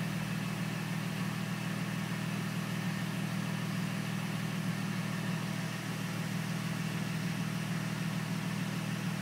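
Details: Mercedes SLK at idle: a constant thin whine rides over the engine note, source not yet pinned down.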